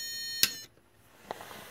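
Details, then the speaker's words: Homemade Maxwell supercapacitor pack running a 1200 W modified-sine inverter: a steady high whine, then one sharp low-voltage beep at about 10.1 V before the output shuts down near 9.9 V, after roughly 2.5–3 minutes of running. "u should hear the inverter beeping due to the low voltage and I'm gonna keep it going until it shuts up there you go that's the warning"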